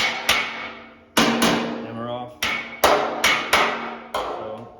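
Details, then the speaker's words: Metal finishing on a 68 Camaro body panel, less than 1/16 inch low: sharp ringing hammer-on-dolly blows at an uneven pace, about eight in five seconds, pinging cleanly while pushing the low spot up; normal hammer-on-dolly ping. "And you'll be able to hear the hammer on when I hit. It'll ping like"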